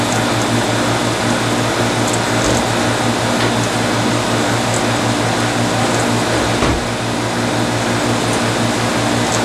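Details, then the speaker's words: Airtemp CIV08S2AC 7,600 BTU casement air conditioner cooling, output stable at 36: steady even hum, low electrical drone and smooth fan rush, no rattles or cycling; good charge, though airflow is weak and probably needs cleaning. Normal operation. "You can hear the gas going through, it's got a good charge. Everything seems copacetic here."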